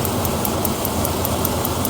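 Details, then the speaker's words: 2000 Dodge Ram 3500 van 5.9 after warm-up: light, even ticking about five times a second, not engine or lifters, from the aging EVAP purge solenoid mounted to the body behind the brake pedal, echoing through the metal. "that little selenoid as it gets a little age on it that selenoid is tap tap tap tap tap"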